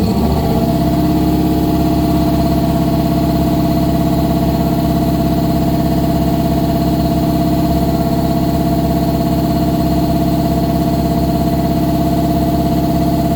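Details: 1955 GMC 100 with freshly rebuilt 327 small-block V8, first start on a fresh battery after priming the carburetor: steady even rumble settling right in, smooth firing, no knocks or misses; normal running.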